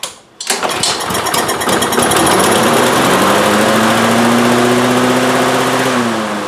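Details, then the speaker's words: Troy-Bilt TB360 mower with a Briggs & Stratton Quantum engine, unused for 3 years and not starting, given starting fluid sprayed into the intake: catches on the first rope pull, revs with popping, then keeps running, likely pointing to fuel delivery. "Fabulous. Not only did it start, it continued to run, it stayed running."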